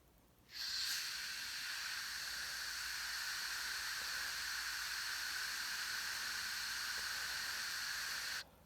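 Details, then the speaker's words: Tesla MIG 260 shielding gas flow, set by ear: smooth, steady hiss with no pulsing or jerks, the correct flow for good-quality welds. "ось такий має бути звук плавний без ривків тоді буде хороша якісна зварка у вас получатися"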